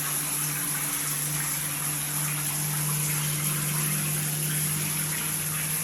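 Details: Multifunction shower system with poor overall flow: a steady low hum under rushing water, with slight vibration at the shower valve when the body jet function is used.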